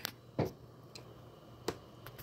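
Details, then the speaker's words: Desktop PC after a December power outage, fitted with new power supply and 6 GB GTX GPU, powered on: a few faint irregular clicks over a low hum with no POST beep; clicks at power-up but never posts. "this is what happens apparently that's kind of flashing a little bit too every time you hear that little clicks"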